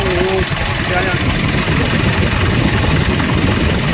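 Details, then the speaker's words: 2016 Mitsubishi Montero Sport diesel: idle with a steady rough whirring grind over the clatter, first blamed on the turbo but traced to a failed bearing inside the alternator. "2016 model alternator ang problema akala nila kasi Turbo yung problema pero alternator yung"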